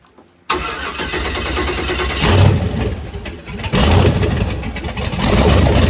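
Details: 1981 Toyota Starlet with 6.0 LS truck engine, ported heads, Summit stage two turbo cam, twin DT466 turbos, overrun fuel cut surge now fixed: fires at once into a loud, lumpy, choppy cammed idle with no hunting or surging.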